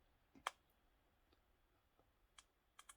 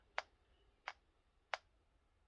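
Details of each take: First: Game Boy Advance SP with added audio amp at max volume, at power-on: sharp irregular speaker pops with no game audio as the capacitor charges; amp's power draw also triggers the low-battery light early. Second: Game Boy Advance SP fitted with an aftermarket speaker amp, switched on and off; four soft, sharp pops about two-thirds of a second apart over near silence. These are normal amp power-up and power-off thumps.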